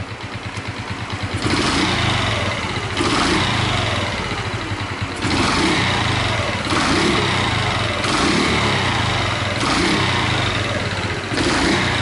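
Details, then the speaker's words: Honda Chaly single, previously rebuilt, with a longer intake hose to quiet intake noise; uneven idle with a light metallic rattle over the putter and blips. Owner suspects the cylinder head, possibly the crankcase; cam chain tensioner to be checked. "I think it's the cylinder head! I wonder if it's also noise inside the crankcase?"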